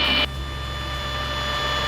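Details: Retractable-gear light aircraft on left downwind, power pulled back to idle to slow below 120 knots before extending the gear. A steady high tone sounds over the low engine drone: the gear-up warning horn.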